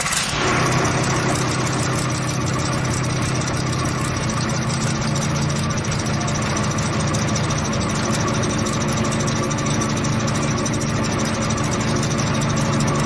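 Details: Repaired ten-cylinder diesel engine on a test run after fuel pump installation: deep, even rumble holding steady with no knocks or misses; running smoothly and healthy.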